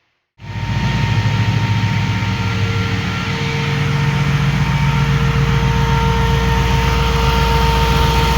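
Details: 2005 Jeep Grand Cherokee 5.7 HEMI V8 after converting the hydraulic fan to a 16-inch SPAL electric fan in a WJ shroud: steady, even idle with a smooth fan rush on top, no knocks or misses; normal idle.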